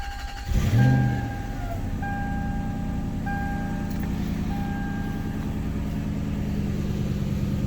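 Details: 1998 Lexus LX470 after starter replacement, restart test: a brief, brisk crank fires the engine almost at once, then a smooth, even idle under a chime; a clean, healthy start.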